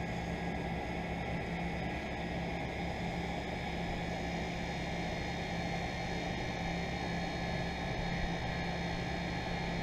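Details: 2001 York 2.5-ton central air conditioner started late December when it was 80° upstairs: steady, even hum with a smooth fan rush, no knocks or rattles; the compressor settled in after startup and is running normally.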